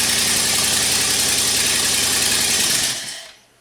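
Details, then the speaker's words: 2011 Chrysler 300 5.7 V8 with P0300/P0302 misfire codes: fast hissy rattle with uneven stumbling beat before shutoff; cam timing check finds one complete bank out of time, cause not yet confirmed. "I did not expect to see a complete bank out of time I don't even know how this card is running to be honest"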